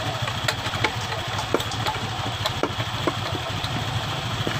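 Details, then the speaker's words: 2015-2016 Honda Beat ESP scooter with rough CVT under throttle, after replacing crushed rollers and worn roller housing: steady, even drone with no grinding, slipping or rattle; normal CVT running. "Ya normal itu normality tapi Anyar di pasar"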